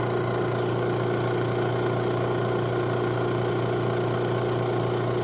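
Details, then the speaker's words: Robinair 134Z refrigerant recovery machine under diagnosis for a suspected failed compressor, new filter drier fitted: output valve opened, unit switched on, pulling vapor at about 20 psi; steady even low hum, no knocking or surging. Normal operation. "And then turn this on. And then we open this. Okay, so we're pulling vapor. And we're at about 20 psi here."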